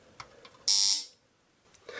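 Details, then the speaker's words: Mains AC buzzer wired phase and neutral by clips. While phase stays connected it sounds continuously, the plate vibrating back and forth. One short, harsh, rasping electric buzz of about a third of a second; working normally. "sonido tan típico también lo conocéis todos pero fijaos en una cosa cuando mantengo conectado conectada la fase el sonido se produce ininterrumpidamente"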